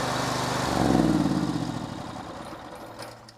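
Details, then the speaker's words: Honda TP 15 HP AVR three-phase 15 kW generator, 26 hp gasoline four-stroke engine, 150 kg: key start, engine cranks, catches and settles into an even, steady run with no knocks or misses; normal start and run. "takže fakt není žádný tahání, nic, jenom prostě klíčkem nakopnete a centrála běží."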